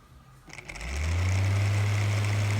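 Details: Floor fan after cleaning: motor spins up within a second to a smooth, steady low hum with no rattle, ticking or scraping; it moves more freely now, though the owner may still oil it.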